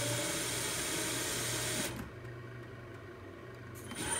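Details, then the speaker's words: Grizzly G0704 CNC conversion spindle on a Hitachi WJ200 VFD: on start a brief thin rising squeak with a small 5 Hz blip as the drive ramps up, then it catches and takes off; intermittent, cause unknown. "you can hear it it's a like a just when it starts it sort of does a little squeak and E and then catches and takes off see if we can catch it"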